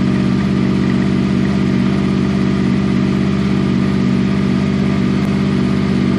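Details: 6th-gen Honda VFR800 VTEC V4, first start after a valve clearance inspection and reassembly. It cranked two or three times, is not revved, and the oil pressure light is out. Steady, even idle with no ticks or knocks: normal.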